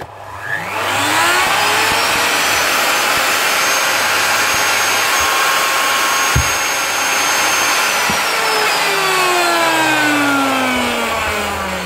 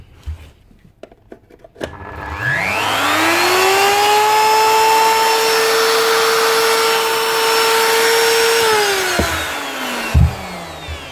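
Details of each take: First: Old blue Ryobi router getting noisy, switch still fine. It spins up to a high steady whine over a rough gritty hiss, then winds down, from worn motor bearings that need replacing. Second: Old blue Ryobi router, previously rough and noisy from failing bearings, after bearing replacement: spins up to clean steady whine, smooth and even without rattle, then winds down; normal router run.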